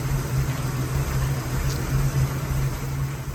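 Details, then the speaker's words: Engine after cracked cylinder head replacement and ultrasonic-cleaned rebuilt carburetor, started cold: steady low even idle, smooth pulse, no misfire or tick; best cold start and run since purchase, normal. "i don't think that was good and it's running good this is the best it started and ran cold since i bought it now definitely"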